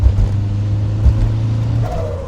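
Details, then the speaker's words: Fully built 2-litre N7A 16v turbo engine, Garrett T34 turbo, forged pistons and rods, about 288 miles of shake-down, thin oil, gearbox noisy, not taken up the rev range: deep even drone pulling under boost, brief whoosh off throttle; healthy turbo engine. "it sounds absolutely fantastic. It does pull."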